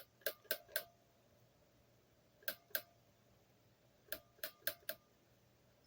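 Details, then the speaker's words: Bench test of a rebuilt Rabbit transmission valve body, solenoids fed from a weakly charged 12 V hobby battery. Dry clicks come in groups of three, two, then four; some sound softer. Owner guesses oil inside and considers it not a big deal. "Seems to work. It's a little, this one and this one are a little softer, I guess, in terms of the loudness."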